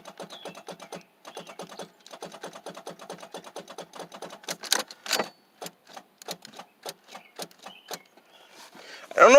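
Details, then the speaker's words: 1994 Oldsmobile 88, no crank, possibly hydrolocked: key turned gives only fast, even clicking about eight a second from the starter solenoid; owner doubts a bad battery connection, cause unconfirmed. "bad battery connection but I don't think it is because I mean I don't know where that starter solenoid is but I just hear it clicking starter solenoid"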